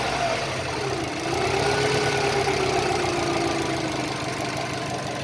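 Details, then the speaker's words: Subaru EJ205 turbo, over 200,000 km, compression 13.5-14, boost 0.7, oil changed every 5-6 thousand km and not consumed, about minus 15 °C outside, now warmed: steady even idle under a faint whistle, cold knock seems gone. "Вот прогрелась машина. Сейчас. Смотрите. Все, вроде стук пропал."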